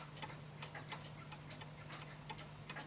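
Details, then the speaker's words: Bentima Perivale Art Deco 8-day Westminster mantel clock during beat adjustment, pushed too far: ticks at about 87 a minute with the tick and tock unevenly spaced and uneven in strength; out of beat. "so I know this one won't work because I can hear it ticking more than talking so I'm just going to bring it in a little bit so this is a bit too far I can tell"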